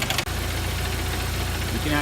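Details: 1999 Jeep Wrangler TJ at warm idle after high-mileage oil treatment: a steady, even knock that keeps time with engine speed, from the front of the engine. Timing chain slap or front bearing suspected, unconfirmed.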